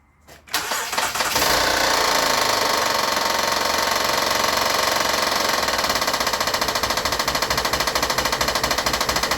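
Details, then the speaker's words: Van from another shop with an unknown noise: starts, revs, then a hard regular knock about three per second over idle; runs best for the first 3 seconds then drops into limp mode; belt problems suspected; failed timing belt tensioner. "sounds so hard over there that I'm just suspecting that we have you know Common belt problems but I've never heard a knock so so significant with"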